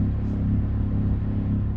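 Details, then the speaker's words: Persistent low droning hum, sometimes a throbbing like a spaceship, recorded inside an apartment in Chicago's Belmont Gardens on December 3; neighbors say it has lasted weeks. Source unconfirmed, though a nearby studio building is suspected. Low droning hum. "KIND OF LIKE A LOW, STEADY HUM. SOMETIMES IT'LL BE MORE OF A THROBBING NOISE. IT KIND OF SOUNDS LIKE A SPACESHIP OR SOMETHING."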